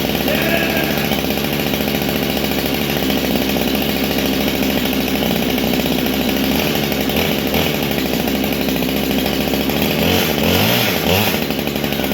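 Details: Husqvarna 395XP chainsaw after a rebuild: crisp, steady two-stroke buzz holding an even pitch with no stumbles or misfires; normal running.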